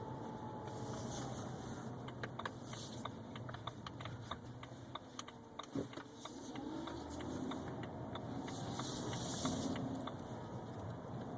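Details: 2011 BMW 328xi: faint whine rising and falling in pitch with speed over quiet running and clicks; source unclear.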